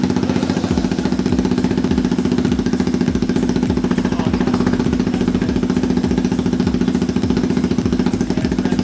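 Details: Honda Grom with a swapped CBR250 engine, finally started after fuel-pump troubleshooting: a steady, even idle thump of about three to four beats a second with no misfires or mechanical noise, so the engine is healthy.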